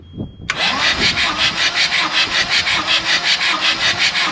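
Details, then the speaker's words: CAT 226B skid steer diesel, previously pulled apart, during a compression test: even, fast starter churning with no firing and no load pulses; compression reads about 0 against roughly 400 expected. "If it's under that, then the motor's probably dusted or there's something wrong. Alright, so we pretty much have 0."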